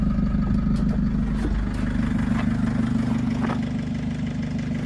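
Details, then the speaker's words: Mercedes Sprinter Luton 3.5-ton van, circa 2006, OM611 turbo diesel with about 129,000 on the clock, first start after engine work and manifold refit. Steady, even diesel clatter at idle, about three beats a second, no misses or knocks; running smoothly. "you know i think we'll have a top quality sounds very good"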